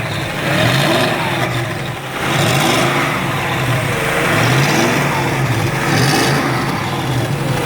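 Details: BMW X5, engine revved up and down while hunting an exhaust leak: a raspy puffing chuff that rises with the revs, pointing to an exhaust leak.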